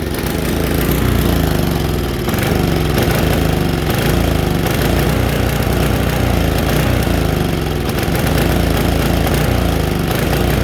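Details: Tecumseh HSSK50 5 HP engine on a Mastercraft 5/24 MTD snowblower runs really rough with no power, stumbling unevenly; spark seen cutting out completely, so ignition suspected rather than carburetor (owner believes electronic, no points).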